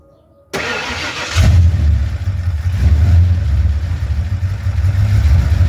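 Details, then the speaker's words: Ford F-150 (1987-96) after carb swap, engine built by owner, block already .030 over, not bored, only hand-honed: rough deep idle with loose diesel-like knock; owner suspects piston slap. Engine knock. "but you can already hear the same still sounds like a diesel not decided that that's a piston slap"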